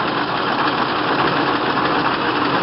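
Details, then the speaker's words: Low-mileage 1927 Packard 443 Club Coupe, still cold, idle lowered to very low RPM: stays smooth and even with no knocks, misses or surging and no visible engine movement; healthy. "So even at super low RPMs, the Packard is still smooth and steady, just as it should be."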